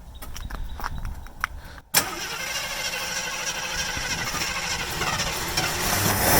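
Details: AMC Hornet rescued from a junkyard after sitting for years, following carb bowl, needle-and-seat cleaning and near-complete carb rebuild; starter cranks briefly, then it catches and settles to a steady, even idle with no fuel leaks.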